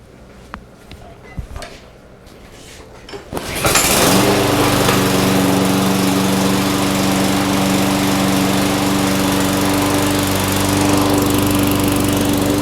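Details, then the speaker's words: Craftsman mower, Briggs & Stratton Quantum, first start after replacing a broken camshaft, on the original plug. Quiet, then it catches and settles into a steady, even drone with no misses or knocks: running normally. Smoke is oil dripped on the muffler. "she's a runner that smoke that you see just coming off the muffler that was just oil that dripped onto while we were working on it that should uh stop in time"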